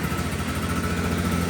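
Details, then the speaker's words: 1983 John Deere Liquifire snowmobile, rough, running 40:1 mix plus oil injection, idle set too low: two-stroke runs with a flat lumpy buzz that never climbs; bogging because it runs without the airbox these carburetors rely on. "You can hear it's really dogging. It's cuz I'm running it without the airbox."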